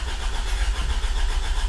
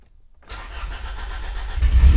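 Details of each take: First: 1996 Honda Civic EK hatchback with swapped B16 engine, manual, first start attempt in neutral: steady starter cranking with even compression pulses, never fires; no fuel pump sound heard, fuel pump not turning on. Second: 1996 Honda Civic EK hatchback with a swapped B16 engine, first start after mounting and wiring work with the fuel pump hardwired: brief silence, then the engine catches and builds quickly into a rising, even run; clean normal start.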